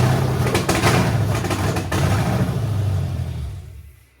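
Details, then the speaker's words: 1972 Dodge Charger Rallye with a fuel-injected Gen 3 Hemi V8, first run after rewiring and adding gas: it fires, revs smoothly with an even rumble and no knocks or misses, then winds down cleanly. A healthy engine that sounds great. "just wanted to hear it run now I got to clean up all the uh transmission fluid that's Spilled Out all over the floor mom's not going to be too happy about that but runs sounds great till next time I guess"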